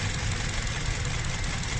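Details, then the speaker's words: Petrol engine idling rough and lumpy with an uneven low thud and rattling cover; cylinders 3 and 4 dead, found by unplugging coils one at a time; both ignition coils faulty, to be replaced. "Guys चार number भी काम नहीं कर रहा है। चार number cylinder और तीन नंबर सिलेंडर काम नहीं कर रहा है। ये दोनों कॉइल खराब है।"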